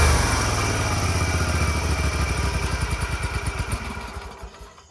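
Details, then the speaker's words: Scag Tiger Cub 48-inch commercial zero-turn mower after reconnecting the loose choke flap linkage; it runs with an even low thump about three pulses a second, no knocks or misses, repaired. "I don't know fellas I'd call that pretty fixed"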